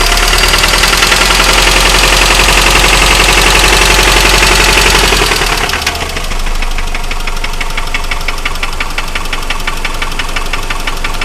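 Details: 2003 Mitsubishi Outlander XLS 2.4 four-cylinder (DSM) engine knocking while running: steady regular knock about three a second over the engine note; owner considers it time for a rebuild.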